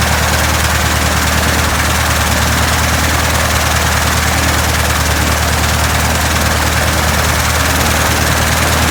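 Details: 1967 Citabria restoration, first engine start: even, steady idle with a regular low beat and propeller whoosh, no misses or surging; the engine is running healthy.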